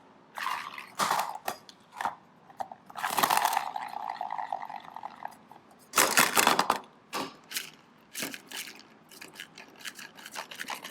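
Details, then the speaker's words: Lincoln MKZ front strut mount, removed and turned by hand, causing a bang when steering: irregular bursts of dry gritty crunching and scraping as the bearing is completely shot. "There's the noise that it makes. Let's put it right here. The bearing is completely shot on this guy."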